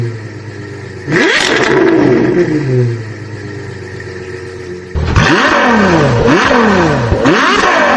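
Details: Suzuki Multicab F6A engine: revs blip up and fall back unevenly with a rough, stumbling note; misfire caused by oil leaking onto and fouling a spark plug, interrupting the spark.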